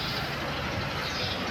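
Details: Geely Okavango 1.5L hybrid with no torque converter, idling: a loose, uneven low chatter under the hum from a worn dual mass clutch flywheel. It is to be replaced with a genuine part.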